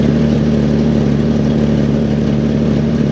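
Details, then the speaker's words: 1996 Jeep Cherokee XJ 4x4 from a police impound, idling after the starter was jumped because of an ignition fault. Loud idle with a rough, rapid puffing tick, about three per second, over the engine note: a bad exhaust manifold leak. "obviously it sounds like it's got a pretty bad manifold lead"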